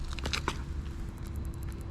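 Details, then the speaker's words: BMW E46 320Ci coupe, engine running and in reverse, fingertip on a rear PDC parking sensor: faint, quick, high ticking of about a dozen clicks a second over a low engine rumble. The sensor is working normally. "When you bring your fingers just like this, you will feel the vibration, and also you might be able to hear it. There is this little knocking noise. So this one is working."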